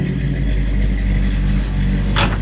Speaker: The big block 454. I like those. Hell yeah. Sounds good.